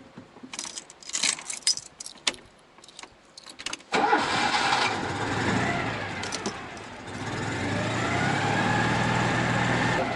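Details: Citroen 2CV restarted at idle: engine catches cleanly and settles into a smooth, even idle with no rattle or knock; normal idle.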